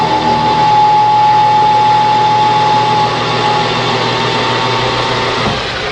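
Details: Lathe turning a new square-drive auger end piece for a small meat grinder, after the interrupted cut cleaned up: even unbroken cutting hum with steady tone and no periodic ticking, a clean continuous cut.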